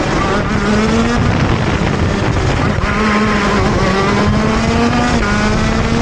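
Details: TM Racing KZ-R1 two-stroke go-kart engine on track; loud, buzzy drone whose pitch sags and hesitates at the start of each pull instead of climbing cleanly: engine bogs accelerating out of corners.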